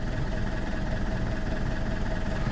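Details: Alfa Romeo 159 1.9 JTDM diesel, first run after new turbo fitted, oil added: steady, even idle with a smooth low rumble, no knocks, whistles or hunting; sounds healthy and quiet for a diesel.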